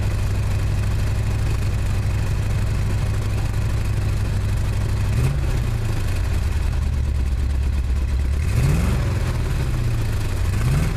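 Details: 1979 Chevy truck 350 with automatic choke, misfire at idle: low irregular chuffing beat with rough blips as revs rise and fall; compression test and clean, lightly brown plugs show no oil or fuel fouling, cause not yet found.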